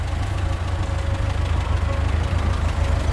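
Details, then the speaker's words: Talbot Express on its first proper test drive after new engine mounts and valve work: otherwise quiet idle with rapid rhythmic puffing at firing rate, an exhaust leak sounding pretty bad. "other than that exhaust leak which is sounding pretty bad"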